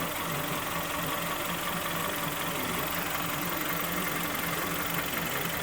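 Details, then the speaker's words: Kia Sportage 3 2.0 G4KD after overhaul with factory flaws fixed, first start, recorded from underneath while warming up: steady, even idle with no knock or tick. Dry and quiet, healthy; oil pressure later about 1.7–1.8. "Все сухо. Все тихо. Прогревается пока. Все хорошо."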